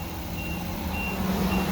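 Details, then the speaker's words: Workhorse chassis 8.1 Vortec, radiator blocked off on an 88°F day: near 225°F engine temperature, an airy fan roar swells over a deep steady engine rumble as the fan clutch finally locks up and pulls air properly. "all right it's finally starting to kick in it took a while that's the sound i've been waiting for it took it a while"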